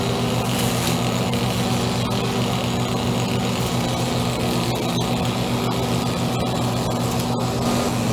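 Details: Echo SRM-2400 string trimmer, believed mid-1990s, slightly bigger engine than the SRM-230. Pulled on choke after about six primer presses, choke then pushed in to start. Steady, even two-stroke buzz holding speed without misses or surging; running healthy, though it vibrates a lot.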